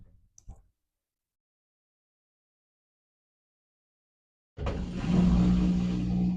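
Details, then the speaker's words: Old Samsung clothes washer, possibly over 10 years old, running a regular load on an Anker Solix C1000 power station: quiet, then drum starts with steady low hum and swishing building smoothly. Normal spin start. "So far, it has a spin noise."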